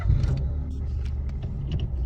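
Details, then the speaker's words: Peugeot 107 / Citroën C1 after replacing faulty power steering ECU: ignition on with no more ticking from the unit, engine starts into smooth even low rumble, no warning light or chime; clean healthy start, apparently no calibration needed. "No power steering lights, so it corrected itself. Doesn't need any calibration by the sounds of it."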